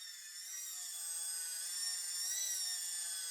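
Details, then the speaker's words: DIY solar tracker rope winch lifting a weight after fix with cone-point set screw in dimpled shaft: smooth high motor whine, steady pitch, no clicks or rope slip under load; normal lifting. "Let's put it all together and try it out. and that's lifting success."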